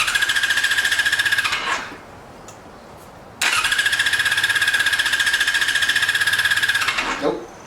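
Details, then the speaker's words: 2002 Yamaha YZF-R6 sat 6 years, carbs drained of bad gas, choke on: two cranking bursts with steady starter whine and quick even compression pulses, never fires; no fuel, electric fuel pump suspected not working. "But I drained the gas out, so I know that ain't gonna crank. Let's just turn the choke on and just see what the hell off the bad gas is left."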